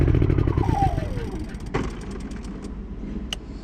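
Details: Honda EU3000is inverter generator after carburetor cleaning (previously ran only on choke): revs sweep down into a steady, even low drone with choke off, no hunting or stalling; normal running.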